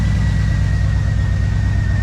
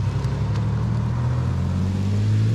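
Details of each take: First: 1997 Mustang, first start after engine rebuild with bent connecting rod replaced; V8 idles heavy and uneven with a loping beat, as if running on six cylinders; lifters quieted once oil pressure came up; misfire and rough idle, cause unconfirmed. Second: 1997 Mustang, freshly rebuilt engine with replaced bent rod, now with dual Flowmaster exhaust hooked up; deep even drone swells smoothly with revs and settles without misses or knocks. Normal running.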